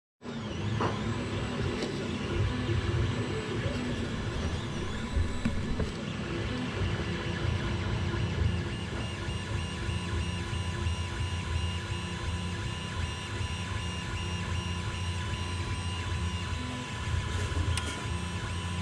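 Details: Creality CR-10 3D printer before vibration dampers are fitted: a loud, buzzy stepper-motor hum with pitch steps as the printer moves, carried and amplified through the frame.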